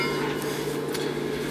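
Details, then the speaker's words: Overhauled 6-volt Delco-Remy generator from a '47, run on the bench: steady, shrill squeal at one mid pitch from the generator itself; owner suspects a worn rear commutator-end bushing, with the front bearing possibly also worn. "sounds like a goat dying so uh I'm going to read the manual take it apart and it's probably the bushing in the back"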